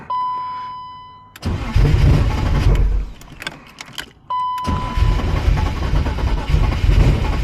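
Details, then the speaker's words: Turbo BMW E36 that runs lean, cold morning start after fitting a fuel pump: chime, then long laboured cranking that fades and resumes before firing; slow to start, cause unclear. "it should not take this long yo that thing is priming it's definitely primed come on there we go"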